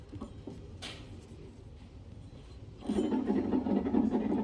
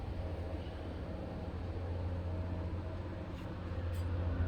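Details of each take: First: Cub Cadet LTX 1050 mower deck, blades on, belt spun by hand: deck quiet at first, then a dry gritty rasp starts; one spindle pulley sounds bad, same on or off blocks; idler pulleys already loose. Suspected, not confirmed. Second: Cub Cadet LTX 1050 mower deck turned over, spindle pulley spun by hand: only a smooth, even low hum with no grinding or rumble; this is the good spindle, the others were bad.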